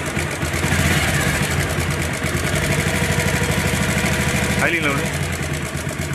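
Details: Motorcycle idling with a quick, slightly uneven tapping from the top end over the exhaust beat; owner reports a head noise, cause not yet found.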